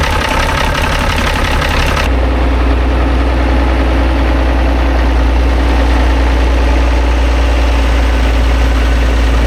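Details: Vintage TD9 bulldozer diesel after shimming starter motor that spun without engaging: steady, even low idle rumble with no misses or knocks; running normally.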